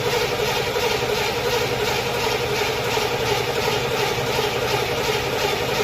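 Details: Chevy stored since 2010, first start in 15 years on old gas: loud uneven idle with a loping pulse about 85 times a minute, lumpy and unsteady, suggesting misfires; spark plug wires later found split. Cause suspected, not confirmed.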